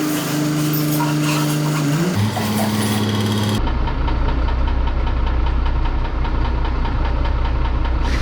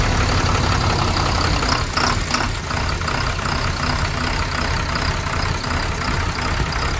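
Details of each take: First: MAN TGM 18.340 truck, D0836 LFL65 diesel, 745,889 km: lumpy uneven idle stumbling about three times a second and smoking; diagnosed no compression in cylinder six causing misfire. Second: MAN TGM D0836 LFL65 truck diesel at 745,889, first start after engine rebuild for smoking and no compression in cylinder six: low, steady clatter at even idle, slightly rough at first; crank speed and oil pressure sensor faults logged.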